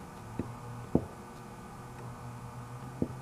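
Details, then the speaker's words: 1920s Century Electric repulsion-start induction motor with its two windings deliberately connected against each other: faint steady low hum with a few clicks, no run-up; won't start until rewired originally. "hear that? It just hums. Now if I take these two and take them back off, hook it up the way it was originally, motor works."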